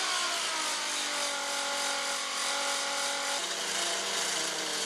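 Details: Prototype Lesley 108cc air-cooled V12 two-stroke model engine with pressurized common-rail fuel via miniature electric pump: high, buzzy, even scream, steady pitch dropping a step partway; running smoothly.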